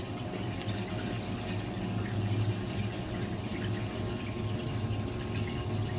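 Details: Fisher & Paykel direct-drive washer motor that had metallic grinding and no wash or spin, tested after part replacement: steady low hum under sloshing water, no metallic scraping; motor turns smoothly and sounds healthy.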